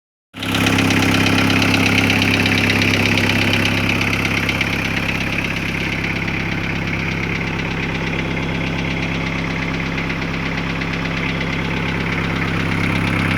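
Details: VW T4 1.9 TD (ABL) diesel idling: a steady, fairly even knock over the clatter. It began after a sheared crank gear bolt let pistons hit valves and all valves were replaced. Service suspected lifters or injectors; a replacement head changed nothing.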